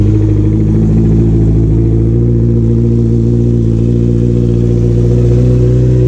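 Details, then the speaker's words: Honda CBR650R after an air filter change, engine running: steady smooth four-cylinder hum at constant speed, no misfires, rattles or hunting. Normal running. "there should not be any problem in starting the bike now so let's do it"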